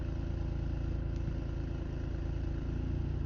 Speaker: So see, it turns on nicely. Nothing came up. See, no service engine, no engine light came up.